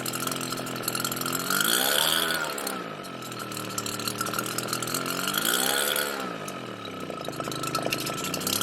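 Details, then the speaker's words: RedMax EBZ7500 backpack blower two-stroke on cold start with original carburettor: engine speed swells and sags about every four seconds, a hunting surge; runs and dies despite Sea Foam and cleaning, carburettor suspected. "here we go runs dies surges and starts"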